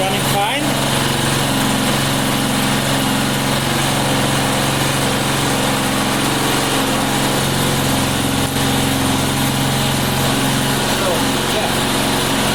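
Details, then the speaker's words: Neighbor's lawn mower small single-cylinder engine after getting it running again: steady, even buzz with no surging, stalling or misses; normal running. "it totally work it is totally working like it should yeah it looks like it's running"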